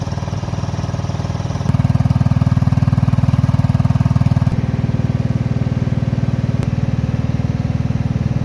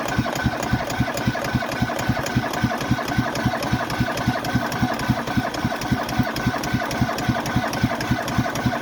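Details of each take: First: Cub Cadet Series 2000 riding mower, cold start after sitting 8 months, unloaded from trailer: small single-cylinder putters even and regular at about three beats a second, no misses or surging; normal smooth idle. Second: Cub Cadet Series 2000 riding mower, cold start after sitting about eight months with little fuel in the tank; steady labored thumping around 220 beats a minute as it struggles to start, later catching on half throttle: hard starting.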